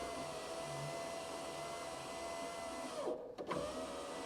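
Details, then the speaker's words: 1991 Alfa Romeo Spider passenger-side power window, new Centerline replacement motor just fitted and tested before the glass is refitted: a steady mid-pitched hum for about three seconds that cuts off cleanly with no labouring or grinding, a healthy window motor. "okay so I would say we have a functioning window um motor everything's working fine"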